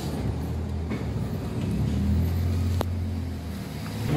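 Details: Honda Wave 100 with a carburetor uncleaned for half a year: low, uneven engine note stumbles with one sharp pop partway through, misfiring and backfiring from a dirty, clogged carburetor.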